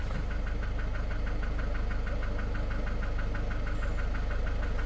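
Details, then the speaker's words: Citroën van engine idling with a steady regular knock that speeds up with engine rotation, disappears when lightly revved and smooth through the rev range, then returns; dealer could not find the cause. "so you can hear that noise now I'm going to lightly rev it hear that knocking noise is gone and it goes all the way through the Rev range is very very smooth after that"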